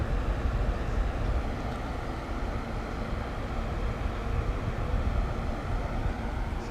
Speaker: It just makes a lot of noise, but it hardly moves no air. So if you don't hear the wind stream on the camera, that's why. Makes all this noise, but don't hardly move in the air.